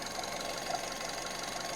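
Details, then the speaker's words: Skoda Octavia with CVA engine, after refitting the loose absorber valve hose that caused a whistle: engine idles with only a soft, even hiss, no whistle or squeal; normal, quiet after repair. "Тем не менее, сейчас все отлично. Писка нет, все хорошо, тихо. Посторонних шумов никаких нет."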